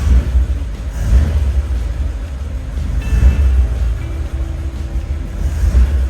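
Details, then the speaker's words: 1941 Ford truck flathead V8, first start after sitting at least six years, seized clutch, no choke: deep, steady, even idle rumble with no misses or knocks, responsive to throttle blips; healthy running. "I'm impressed with this flathead Ford V8 it runs better than that old 68 Ford sitting out there responsive I'll tell you what you blip the throttle and it's right there"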